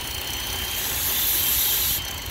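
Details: 2008 BMW N52 engine with misfire, rough idle and shaking: thin, steady high whistle above a soft idle, internal vacuum leak from a failed PCV valve.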